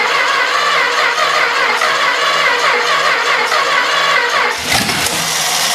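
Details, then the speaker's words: Long-sitting 318 engine cranked faster by touching the starter wire straight to the battery, with both jumper cables on the ground: fast, uneven cranking with occasional rough firing pulses. It is starting to come to life but not running yet. "well it's starting to come to life"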